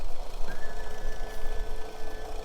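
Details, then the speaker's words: Starboard boat engine idling with its cowling off: a rough, uneven, stumbling beat with a faint steady whine, a misfire that drops rpm noticeably when the shift cutoff cuts a cylinder; a cylinder drop test is planned. "Yeah, you can really hear it now once the cowling's off."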